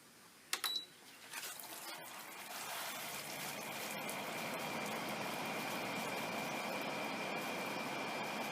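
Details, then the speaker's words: Haier window air conditioner after repair of a rubbing fan, cover back on: switch clicks, then a smooth steady rush of air, the nasty hitting sound gone. "let's see how she sounds pretty smooth we've gotten rid of that nasty hitting sound now it shouldn't keep us up at night"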